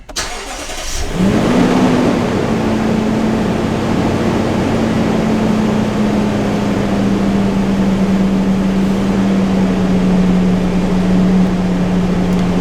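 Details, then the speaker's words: Lexus GX 460 idling after start, uneven beat from cylinder 2 misfire; misfire moved when parts were swapped, traced to a cracked spark plug seal letting oil into the plug well. "cylinder 2 Miss fire still all right so since I switched it that means means it's the uh spark plug"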